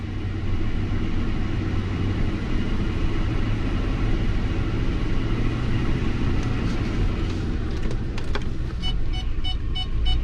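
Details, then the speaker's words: Lincoln MKT labelled 2005, engine running with shake: uneven lumpy rumble with a missing beat; cylinder power balance shows cylinder 5 not contributing, bank 2 timing issue; misfire on cylinder 5. "number five is a cylinder that is not contributing at all"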